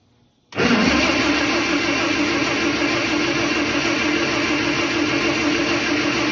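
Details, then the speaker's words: First fire of a rebuilt 1951 Chrysler 218 six-cylinder engine in a 1949 Massey Harris 21A self-propelled combine: a brief crank, then it catches instantly and settles to a steady, even idle with no knocks or misfires. "Take the choke off. Okay, when I say, okay. Wow! It works."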